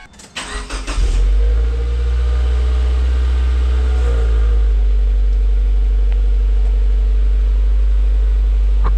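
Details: Subaru Forester XT with a fitted WRX exhaust (owner thinks) cranks, catches and settles into a steady, fairly subdued idle with no knocks or misses, exhaust note quieter than before: normal idle.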